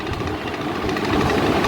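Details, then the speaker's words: Faulty 12V three-wire DC fan motor from a Sharp inverter refrigerator, bench-tested: rough buzzing spin with rattly grind and heavy vibration instead of a smooth whirr; worn bush, motor still turns but will eventually stop. "এটার যেটা সমস্যা এটা দেখবেন শব্দ করছে একটা শব্দ পাবেন এবং এটার শব্দ হচ্ছে এবং এটা অনেকটাই ভাইব্রেশন করছে দেখতেই পাচ্ছেন"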